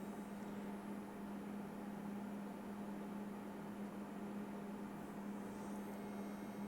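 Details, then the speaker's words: Morimoto HID headlight ballast, 9012 lamp, after rework: faint steady low hum under soft hiss, buzzing less than the other ballast; normal, quieter ballast. "See, this one's a better ballast because it's not buzzing as loud as the other one."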